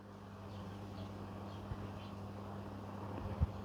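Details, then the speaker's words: Vintage Brinsmead electric fan on low speed with the cage off, after bent blades from a fall were fixed: quiet, steady motor hum with no wobble or knocking; it runs smoothly with no vibration. "That's running nicely now, nice and smooth."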